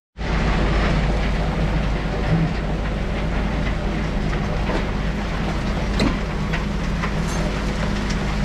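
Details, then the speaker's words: Van Dale silo unloader running after setup, warm season so no wall freeze-up: steady even low rumble and churning, no knocks or surges; running smoothly, feed coming down a little slow, surface not yet leveled, weights need adjusting for a good cone. "well there we got it working feed coming down it's coming a little slow right now but it's still not perfectly leveled off yet"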